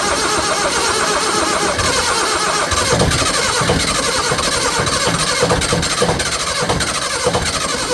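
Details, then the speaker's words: Military diesel generator, cold start before oil change: rough, uneven cranking and catching with ragged bursts before it settles; glow plugs weren't given long enough to preheat. Diesel hard start from insufficient glow plug preheat. "I should have give a glow plugs a little more"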